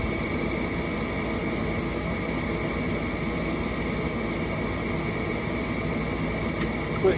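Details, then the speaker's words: Gas furnace after replacing a bad igniter and its connector: inducer and pressure switch run, igniter glows, gas valve clicks, then a steady, even burner roar with no surging or rumble; furnace firing normally, repair successful. "so we got the M go through the pressure switch and we're going to have the ignited glow it's glowing right now and you'll hear the clip for the gas Val"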